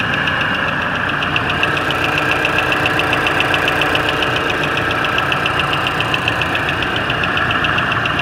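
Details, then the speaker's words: 2018 Mazda CX-5 2.5L non-turbo petrol at idle: fast, even light ticking over a steady idle, absent on hot days; owner believes it is valve lash, and the hydraulic valve lifters were replaced under warranty, with no recurrence since; hydraulic lifter tick. "so the issue is something to do with valve lash um I believe so those have been replaced under warranty"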